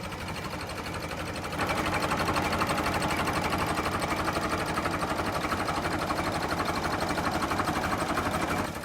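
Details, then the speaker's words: Late-1955 Farmall Super MTA diesel tractor, recorded up close at idle: even, steady chug about four beats per second with no knocks or misses; normal healthy idle. "I just love the sound of this thing idling. Get it right up close so you can"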